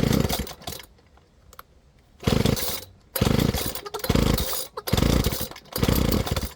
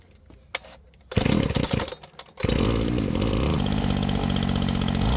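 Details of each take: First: Flymo Maxi Trim 430 two-stroke strimmer just after carburettor cleaning and new fuel metering diaphragm: uneven blubbering, revs surging and dropping about once a second, smells and sounds rich before leaning the mixture. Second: Flymo Maxi Trim 430 two-stroke strimmer after carburettor clean, split fuel metering diaphragm replaced and mixture leaned from rich: catches, stutters once, then a steady even high buzz with no misses or surging; running properly.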